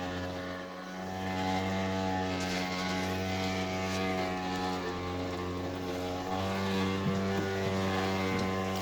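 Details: Electrolux washer: steady droning motor hum continues unchanged after pause and cancel; washer won't shut off, cause not yet known.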